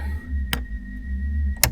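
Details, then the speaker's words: 4-door Ford Bronco with Centurion topper, window raised by a custom switch with the engine not running: a click, then a steady thin whine and low hum as the power window motor labours, stopping on a second click. The owner notes it is struggling. "it's struggling that's for sure can hear it now granted the engine's not running"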